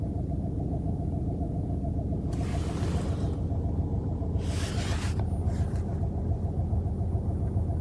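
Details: 2020 Ford Focus MK4 1.0 three-cylinder, 120 HP, at idle: steady rumble with uneven pulsing undertone and faint rushing; strange idle noise, owner suspects the water pump.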